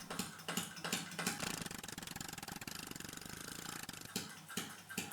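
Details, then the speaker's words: Small air-powered engine fed by a tank pressurised by inflowing water, near the end of the run with little air left: irregular clattering ticks that speed up, slow and stutter as each intake drops pressure: struggling at low supply pressure. "at this point there is so little air left in the tank that each breath of air that the engine takes will reduce the pressure by a huge amount so it struggles to keep the pressure constant"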